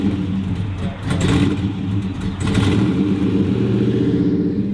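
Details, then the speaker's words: 1957 Chevrolet Bel Air V8, thought to be totally out of adjustment after being taken completely apart; big burble through throttle blips with uneven, lumpy pulses; rough running, cause not yet confirmed. "doesn't run great that's why it's here for grumpa"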